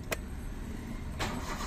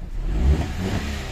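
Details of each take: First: Hyundai Eon with hard-starting complaint, after swapping a fuel fitting for a smaller one: starter churns with steady whir, engine never catches; fuel pressure not holding, long crank without start. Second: Hyundai Eon after hard-starting repair, injector O-ring replaced: short crank of about three to four counts, then the engine fires promptly and holds a steady low rumble; quick, clean start.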